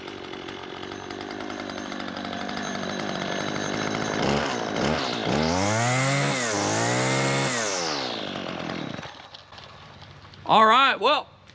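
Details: Husqvarna 223L two-stroke trimmer that previously wouldn't run, after a carburetor kit rebuild and fresh gas. Revs up cleanly, holds a steady high buzz and drops back without stumbling. Running normally.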